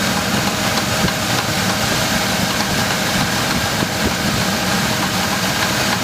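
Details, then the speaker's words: GMC Jimmy 4.3 V6 Vortec cold idle, light periodic tapping in short runs then quiet, appearing after drive belt replacement; owner suspects hydraulic lifters despite fresh oil at normal level; cause unconfirmed. "Может такое быть, что это стучат гидрокомпенсаторы вот таким образом на холодном двигателе."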